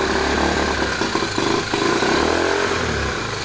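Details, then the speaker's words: 1970 Honda Trail 90 stored 20 years, carburetor and fuel system cleaned, first start on half choke with new and 20-year-old gas mixed: revs unevenly, surging and stumbling, no knock or clatter, slight smoke; rough running, carburetor adjustment or old fuel suspected. "Sounds like the carburetor isn't adjusted just right, or maybe it's the fact that we're running a mix of new and 20-year-old gas."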